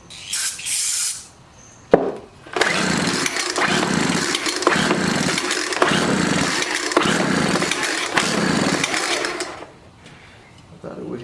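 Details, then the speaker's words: Scrapped Craftsman 4-stroke trimmer/blower with its fuel line found disconnected: brief uneven popping and chugging that fades and dies. It fires but is fuel-starved, so the cases must be split to fit a fuel line. "off there at least we know it's is firing but we're gonna have to pop this loose here and uh put some fuel out of it"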